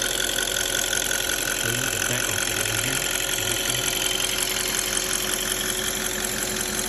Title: D8 engine ticking sound